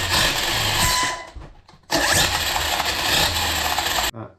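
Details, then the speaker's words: Arrma Kraton EXB RC car on stand with spare 1650kv motor, 22T pinion and 6S spur, gear mesh set by feel: two bursts of high even electric whine, smooth gear hum, no clicking or grinding; motor and mesh sound okay. "I'm going to give it a quick test to see how it sounds. Using my trusty motor stand."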